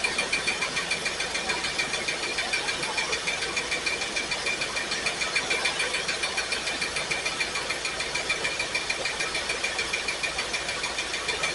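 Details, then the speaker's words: Pontiac Firebird V8 first started after new wheels and a fuel tank install. Lumpy, stumbling idle with an uneven chuff about three times a second. Cylinders 8 and 5 are not firing well, found by grounding plug wires; owner suspects fouled plugs. "Well, it looks like number 8 and number 5 cylinders are not firing very well. It's probably just crap on the plugs."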